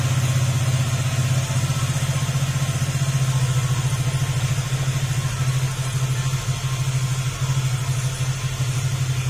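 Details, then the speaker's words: Honda Click 150 scooter after cylinder head replacement fixed an exhaust leak, warming up while coolant is added, aftermarket muffler: steady, deep idle putter, no ticking or puffing leak; back to normal sound. "Ayan, back to normal na yung kanyang tunog. Pero yung muffler niya mga sir ay aftermarket po yan. Kaya ganyan yung tunog."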